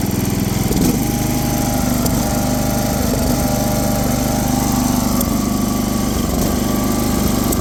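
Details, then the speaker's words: Tow-behind mower with Briggs & Stratton 17.5 engine, five-foot steel deck, after valve adjustment to 0.015 in: runs much better but still stumbles with occasional pops, spitting back through the carburetor; owner suspects valves need to be tighter. "so as you can see it's running a hell of a lot better than it was or it sounds better it's still spitting out of the carburetor a little bit"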